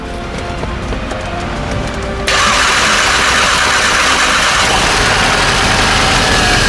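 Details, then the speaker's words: Crash-damaged VW Golf 7 GTI, first start after an engine rebuild with a fresh battery and pipes not yet fitted. A quick crank, then it catches sharply and settles into a smooth, even idle with no misfire. "Right. Car starts nicely. Sharp. Doesn't sound like it's got a misfire."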